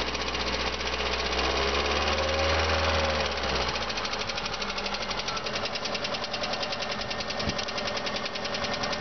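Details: VAZ 2112 16-valve engine running with a rapid, fairly regular metallic knock inside the engine, about two or three per second; cause unclear.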